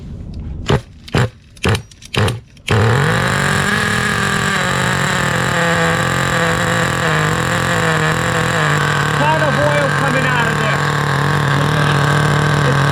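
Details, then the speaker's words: 2008 Duratrax RTX-27 1/8 nitro monster truck at first start after repair: a few sharp blips, then a flat buzzy drone. Idle is still high (clutch spring possibly bad) and the engine runs too rich, so the mixture is to be leaned a quarter turn. "the motor is still really rich i can tell i'm touching it right now it's just way too rich going to lead it out about another quarter of a turn"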